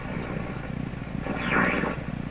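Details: General Electric C600 tube radio after all capacitors were replaced: a low putt-putt pulsing keeps repeating from the speaker and swells briefly midway; motorboating, cause not yet found, big capacitor suspected.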